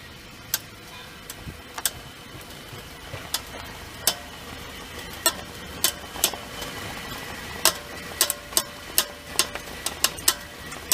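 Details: Subaru XV 2013 turning: sharp irregular clicks, up to a couple per second, from both front wheels over quiet rolling noise, little when driving straight; owner unsure whether bearing or axle, cause unconfirmed.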